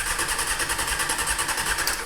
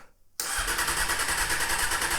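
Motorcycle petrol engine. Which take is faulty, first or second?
second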